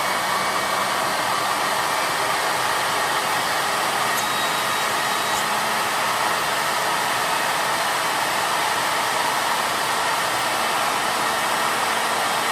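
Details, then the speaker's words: Unloaded 2-stage 4.5-inch Tesla turbine with a rotor of about 1.5 kg, fed through a 1/4-inch input at under 40 psi at the nozzle. Steady rushing air with a thin constant high whine like an airplane: spinning fast and evenly. "Yeah. Oh, it sounds like an airplane. I love it."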